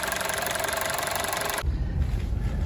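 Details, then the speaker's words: Honda City on CNG after repair, two leaking ignition coils replaced, injectors cleaned (two dark ones not replaced): brief noise then low steady idle with even beat, no stumble; normal idle, stumble fixed. "อันนี้เราแก้ไขเรียบร้อยแล้วเครื่องเดินนิ่มแล้วเดี๋ยวเราไปเทรรถกัน"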